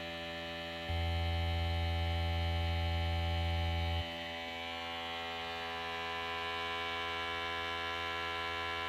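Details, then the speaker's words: Air pump pressurizing a tank more than half full of 90-weight gear oil for an outboard gear oil transfer setup: steady buzzing hum with fast even pulse, louder then settling; pump running normally. "then here you can hear the pump pressurizing the air in the tank"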